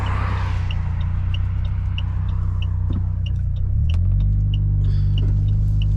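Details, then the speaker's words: Saab 9-3 driving after the owner's misfire fix: steady, even engine drone under load with no stumble or missed beats, light regular tick in the background; misfire cured. "So, I'm really hoping that did it. Oh my god. It did too."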